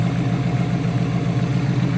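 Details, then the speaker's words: Engine starting on a battery recharged after sitting in a garage: it settles into a steady, deep, even idle with no ticks, misses or knocks. This is a healthy idle, though the owner notes it leaks oil. "Let's get her on. Listen to this puppy roar. Yo, there we go. She's alive."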